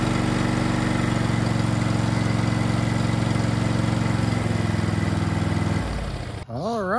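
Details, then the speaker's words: Small single-cylinder engine on a neglected machine, first start after battery reinstalled (13.5 V): runs steadily at even idle for about six seconds then shuts off; sounds healthy. "right that was a successful first start now I need to figure out how to make it steer"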